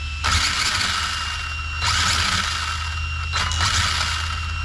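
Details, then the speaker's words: Hobbywing MAX 6 ESC crammed into a Traxxas 4-Tec 2.0: steady low hum with harsh bursts of high, hissing motor noise cutting in and out unevenly, so the motor stutters under throttle; owner hopes the motor isn't the cause. "Cram this thing in here, and all of a sudden the ESC starts to freak out."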